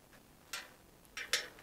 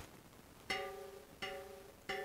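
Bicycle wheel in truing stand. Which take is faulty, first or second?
first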